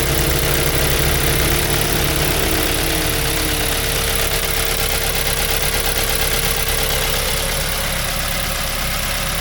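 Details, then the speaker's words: 2005 Mazda 3 2.0L 4-cylinder, 5-speed manual, after removing and manually cleaning all four injectors for random misfire; steady even idle, smooth unbroken beat, no stumbles or skips; running fine, no misfire, checking for leaks. "okay guys guys running fine no any misfiring all good make sure the three leak somewhere normally"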